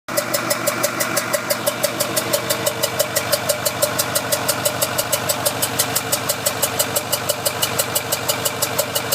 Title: Ford F450 6.4 Powerstroke popping noise